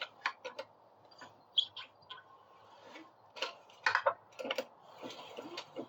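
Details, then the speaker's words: Built 212 (B200) racing engine, spark plug removed, turned slowly by hand: short high squeaks at each direction reversal with faint scraping, after power loss and knocking; exhaust leak suspected but unconfirmed; squeak source undetermined. "know you can hear it kind of squeak when it changes the direction is that normal"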